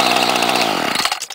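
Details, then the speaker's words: 1995 Ryobi 700R 31 cc direct-drive trimmer, 16 years old, started on choke: high buzzing two-stroke drone holds steady, then cuts off and dies away; it runs as it should. "pretty good for a 16-year-old trimmer this one has direct drive and see it"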